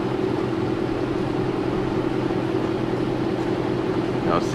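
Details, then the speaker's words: 2003 Ram with Hemi V8, warm after driving (transmission fluid hot), smooth even idle with no knocks, ticks or misses; checked because the son said it ran oddly and the transmission slipped; idle sounds normal. "so you can hear the truck is idling normal man it sounds really good so I'm not worried about that I don't know what he heard or what he think but that sounds normal to me"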